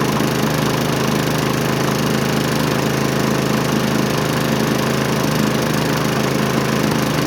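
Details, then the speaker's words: Found-roadside Hyper Tough push mower with Briggs & Stratton engine, oil full and clean, possibly burning off oil from being flipped: fires right up into a steady, even drone with no misses or knocks; normal running. "I already checked oil before so I knew the oil was full it was pretty clean but this thing fires right up"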